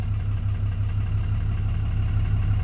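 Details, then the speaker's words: 2007 Dodge Ram 2500HD 6.7 Cummins, previously no crank/no start, now running a few minutes with original TIPM reinstalled; awaiting tune. Steady low diesel rumble, no knocks, misses or hunting: normal idle. "now that we got the everything else fixing running so it cranks and it runs so it's been running for a few minutes now"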